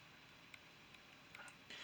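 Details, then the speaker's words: NAS with hard drives spinning while not plugged into the SATA bus, so not being accessed. Faint, steady high whine with a few soft ticks and no grinding or clicking bursts; drives idle-spinning normally. "So you can hear those hard drives, they're actually not being accessed right now because they're not plugged into the SATA bus."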